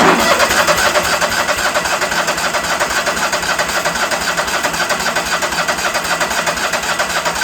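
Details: Engine cranking steadily at about four beats a second but not starting; owner suspects it isn't pulling fuel and notes the solenoid isn't clicking.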